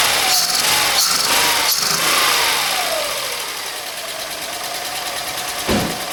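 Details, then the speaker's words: SEAT Ibiza three-cylinder just refitted, started with easy-start and throttle: catches into an uneven, shaky idle with loud intake hiss, airbox and parts still off; owner suspects worn old spark plugs for the excess shaking. "Now, it's running. It's a 3-cylinder and it's obviously making a bit of noise because the airbox and there's a few bits that are still not on it. Seems to be shaking a little bit too much, but also remember that these are really old spark plugs, so the spark plugs could be a bit knackered as well."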